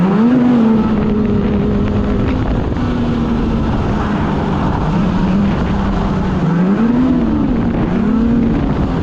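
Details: 2016 Polaris Indy 600 SP two-stroke snowmobile, test ride after fresh spark plugs, before fuel filter fix: drone surges and sags in narrow band at part throttle, only about 6200-6400 rpm; bogging from plugged fuel filter.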